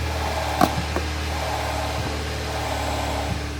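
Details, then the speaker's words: Audi S1 bought as non-runner, idling with new drive belt fitted: rough rattling drone and loose knocks appearing when the clutch pedal is pressed; worn dual mass flywheel. "Listen to that noise when you put the foot on the clutch."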